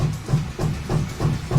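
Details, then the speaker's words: Anycubic Photon M3 Max resin printer after fitting a Wham Bam plate without the needed spacer: low, even thumps about three per second while homing; owner suspects it thinks it's higher than it is, so the Z-axis stepper skips. Fixed with a custom spacer. "Let's just finish it doing that because I think it thinks it's higher than it is."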